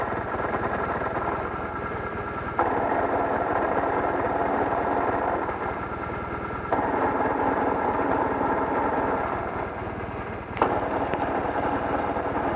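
Fast, hard rattling clatter, about three beats a second, over the running engine with a few load changes; something is knocking inside.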